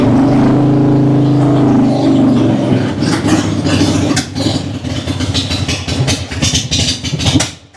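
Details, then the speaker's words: Cold-natured vintage Harley V-twin (Panhead, Ironhead or Evo) started cold on choke with fuel squirts and a low battery; lumpy idle holds steady a few seconds, then turns uneven and patters off, no coughing. Runs great once warm: normal running after cold start. "There's no coughing. She runs great when she's warm. She's just cold-natured."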